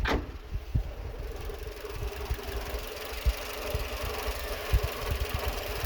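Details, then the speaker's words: Renault Twingo 2 D4F with engine light on, running on three cylinders: uneven idle with irregular low thumps and stumbles every second or so; noise persists after spark plug work, an injector or the coil suspected, garage had blamed an injector. "Tiens, ouais. On a toujours le bruit. Probable aussi un injecteur, parce que le bruit c'est pas normal."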